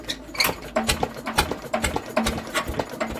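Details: Deutz diesel with newly fitted injectors, first start attempt in many years, decompressed and cranked before trying to fire: steady cranking beat about two to three turns a second, keeps turning over but never fires or catches.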